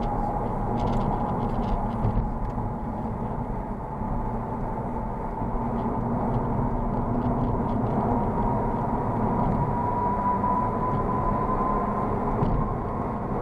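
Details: Honda Civic on low-profile Goodyear tires: a piercing whine near 1 kHz sits over road rumble (low-frequency road noise reduced) and grows louder as speed builds to highway speed; tire whine suspected.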